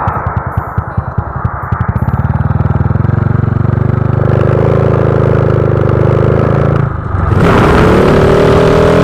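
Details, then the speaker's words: Honda Wave 125i with its injector replaced to cure rich-fuel stumble when throttled; on the road after the swap, crisp even firing pulls smoothly into clean revs with no stumble or hesitation, running properly. "อ่าโอเคเพื่อนมีไหมพอรอเปลี่ยนไปเนี่ยวิ่งดีเลยเพื่อนไม่มีแล้วนะการติดนะเนี่ย"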